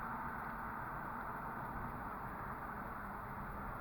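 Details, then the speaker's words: 2009 Ford Escape road test at 45–50 mph after coil pack repair for P0302 misfire above 40 mph: steady, even engine hum under road noise, no shudder or stumble; running smooth so far. "he's doing 45 right now and he's actually he's actually um i don't actually so far to me it seems like this this truck's running smooth as glass"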